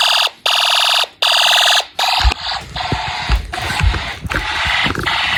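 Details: Snap Circuits fire alarm system, test 8, horn set to constant: loud pulsing horn blasts about a second apart, then a busier continuous alarm. The horns work, but both zones now trip together unexpectedly.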